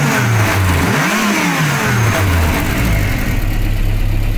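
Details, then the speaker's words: VW G60 with K-Jetronic, blipped after retarding ignition timing a few degrees at the distributor to cure crackling under hard low-rpm throttle: pitch dips then climbs cleanly through a couple of blips and settles, no crackle or hesitation; normal revving. "Et voilà, là ça croustille plus, il n'y a plus de comment on appelle ça, de kiki. Donc là apparemment c'est bon."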